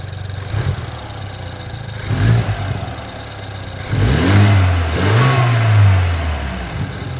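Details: BMW 428i petrol engine idling and blipped, with a weird light clicking under the idle; cause unknown.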